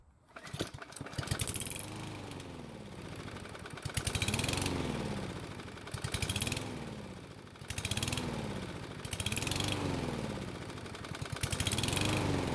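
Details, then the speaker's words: Lawn mower surging after refueling, revs climbing and sagging about every two seconds, nearly stalling then catching. The problem previously appeared after refueling and has returned; the owner believes it is a fuel delivery issue, unconfirmed. "so as you can hear it basically sounds like it wants to die but then it starts to run just fine only to try and die again"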